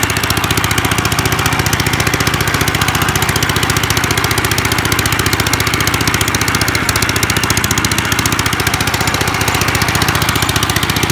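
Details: 1955 Gravely Model L single-cylinder, sat about five years, started in two pulls, mid throttle, neutral: fast, sharp, even popping, very loud and raw from broken-off exhaust pipe; ran half-choked, owner suspects carb needs cleaning or needle opening.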